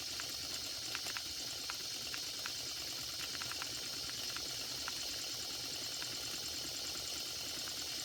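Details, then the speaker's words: Circa-1946 electrically heated mini steam engine, after repairing bent axle and wobbling flywheel, near 200 degrees: steady steam hiss with run of small ticking beats, speeding up as temperature rises; normal steam engine run. "look at that running beautifully and it's speeding up as you can hear as the temperature increases"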